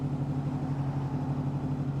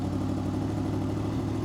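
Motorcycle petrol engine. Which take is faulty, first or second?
second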